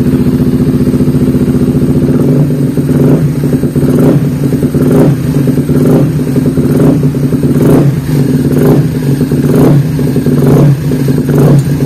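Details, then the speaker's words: Honda CBR150 FI (Thailand) single after throttle body cleaning and tune-up: fires up and idles with a steady thump, a few light throttle blips and no knocks; sounds healthy. "Oke, langsung menyala, boom. Kedengarannya bagus."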